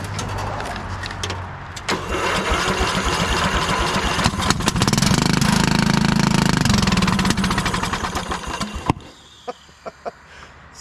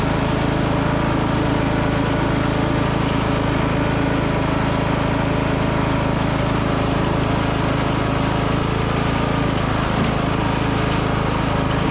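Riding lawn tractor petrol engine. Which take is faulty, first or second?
first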